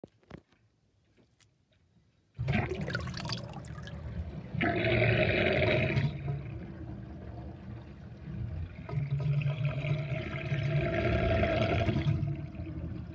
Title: Interesting kitchen sinkdrain with drainbasket and gurgling sound